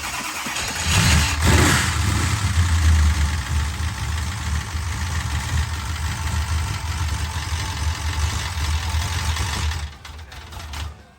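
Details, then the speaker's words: 1968 Dodge Charger with a used big-block 440 V8 of unknown history cranks, catches and idles with a loud, fast valve-train tick on top. The crew suspects the timing/drive chain hitting the valve cover and pulls the covers to check. The flywheel was checked and is not touching. "So we formed a massive tick in this motor, which I have never heard before in any engine that we've ever built ourselves. We're taking the valve covers off because it sounds like the drive chain is actually hitting the valve cover."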